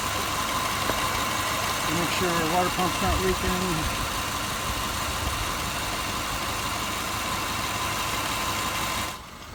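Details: 2005 Subaru Forester after redoing an incorrectly done timing belt job that caused noise: steady, even idle with smooth boxer burble, no knocks, ticks or misses; running like new.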